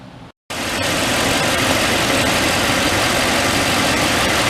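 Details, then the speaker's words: 2004 Toyota Tundra, 215k miles, idling after new power steering pump install and banjo leak fixed with original crush washers; steady even hum, only faint hiss and very slight noise expected to fade, no groan or whine, healthy. "very slight noise again that'll go away in a little bit good for another 215 000 miles"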